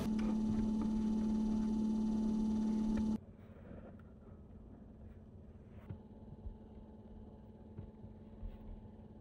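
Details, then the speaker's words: 12V cooler in a DIY-insulated kei camper, eco mode on low fan: steady low hum with a faint even whine from below when the compressor runs, no knocks or rattles; quiet, normal running. "気になっていたクーラの騒音もエコモードで風量弱にすればかなり静かです。静の音コンプレッサー回った時ですね。その音は若干下からウィンっていう音はします。"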